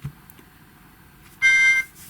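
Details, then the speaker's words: New GHD Chronos S8M261 hair straightener, hot and at temperature: short high power-on beep with a harsh buzzy rattle, the on/off button vibrating because the piezo buzzer sits too close. "here we go again that horrible vibrating noise what the hell were they thinking"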